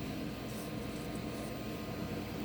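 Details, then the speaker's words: GeForce graphics card cooler fan after removal, cleaning and lubrication with industrial vaseline: a steady, even whir with no rattle, grind or wobble. The fan now runs smoothly. "a ta aí o resultado aí ó o cooler já não tá mais fazendo barulho oi vó tá rodando lisinho"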